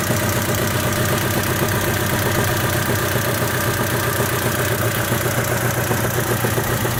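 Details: 1998 Honda Civic with a light, busy tinny rattle at about four per second over a steady idle; cause not yet traced.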